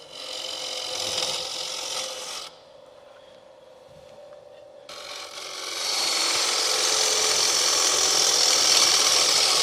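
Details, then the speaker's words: Woodturning scrape cut with a bedan tool: a harsh, rasping cut with a fast, regular rattle, which is tool chatter from rubbing the bevel too hard with a too-aggressive cut. "do you hear the chatter from the tool I'm rubbing the bevel too hard listen listen to the tool"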